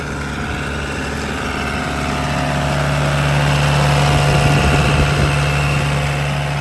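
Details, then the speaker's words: 2011 Bobcat E80 midsize diesel excavator heard from outside in cold weather with the throttle turned up: a steady, even drone climbing smoothly with no knocks or misses. Normal running at raised throttle. "As you can hear, it's running well."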